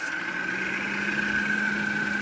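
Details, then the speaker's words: Can-Am Outlander ATV radiator fan, high temp light on earlier: steady whir with a thin high tone that blasts briefly at full speed, then winds down; cause still unknown. "notice how in the fan sat for a little bit it blasted a little bit and then it winded down so that's a problem a major problem I'm gonna have to fix"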